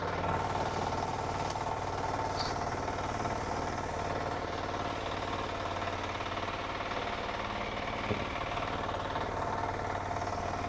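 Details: Diesel power weeder for field work, with electric starter, auto clutch, 3 forward gears and 1 reverse, running in a demo. A single-cylinder chug with steady, even, clean firing and no knocks or misses. Normal diesel running.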